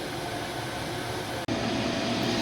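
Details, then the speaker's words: Replaced inducer/exhaust vent motor on a 2007 Lennox furnace (12W47) running a few minutes with quiet steady airflow hum, no rattle, squeal or bearing growl; normal operation after replacement. "so there we have it it's been running for a few minutes it's still nice and quiet"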